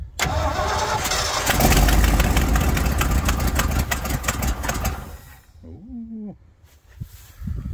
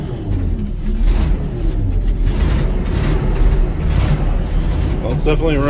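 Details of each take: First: 1980 Ford LN700 truck, 370 big block V8 four-barrel carb, sat a few years, about 45°F cold: steady starter cranking for about five seconds that never catches; cranks but won't start, owner suspects it needs manual choke after starting fluid. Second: 1980 Ford LN700, 370 big block V8 four-barrel, after sitting a few years: deep steady rumble with even idle and no misses, hitting on all eight; known bad exhaust leak. Normal idle.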